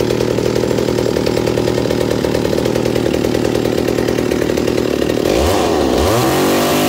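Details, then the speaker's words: McCulloch 790 MC101 chainsaw, assembled with an ignition chip: with the bar and chain fitted, the idle drops slightly but stays steady and even, with a throttle blip. It is healthy. "oh so as you see after putting the bar and chain on it the idle drops slightly but it's perfect right there"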